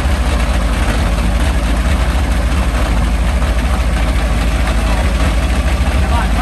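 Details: Meteor Interceptor car with Centurion tank engine, first complete drivetrain test on jack stands after rewiring; warm idle, pressure 15 bar: deep, even low rumble with steady pulses, healthy warm idle.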